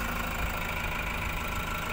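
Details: 2018 Toyota Hiace Commuter after a cranking no start was fixed: steady, even idle with a constant low rumble, no misses or knocks, running normally.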